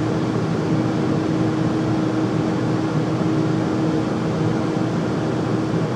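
Constant loud roar with a steady mid hum running the whole time, no knocks; furnace is noisy while running, cause unclear.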